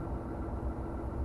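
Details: Van's RV-7, ULPower 520iSA engine, Airmaster propeller, after run-up ignition and propeller governor checks, back to idle: low, steady idle rumble with even pulses, nothing sharp or ragged; healthy idle.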